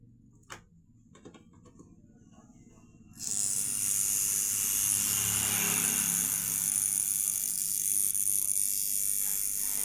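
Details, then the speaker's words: V-Guard VG50 2A fridge stabilizer with no output: quiet clicks, then a harsh steady high-pitched buzz from the relay chattering. The cause is low coil voltage from a weak capacitor, so the relay itself should not be replaced straight away. "So இந்த மாதிரி sound வருது அப்படின்னா இந்த ரிலேயில் sound வருது. So நீங்கள் உடனே ரிலேவை change பண்ணிடக்கூடாது."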